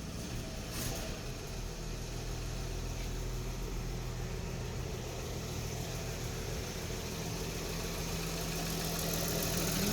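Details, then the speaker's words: 1955 Chevrolet Bel Air at first start after sitting unused for a long time, with a new battery: lumpy idle, light fast top-end ticking and a puffing exhaust. Exhaust leak, plus lifter chatter from sitting that should pump up. "now here in exhaust League sounds a little chattery you can hear it being a little chattery up here that's just because it's been set in a while we'll need to let that pump up for a little bit"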